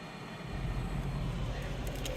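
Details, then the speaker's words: Prius blower fan motor just replaced, fan set all the way up. Even, steady low rush of air with no squeal, tick or wobble: normal blower operation at full speed after repair. "but we have it set all the way up fans all the way up"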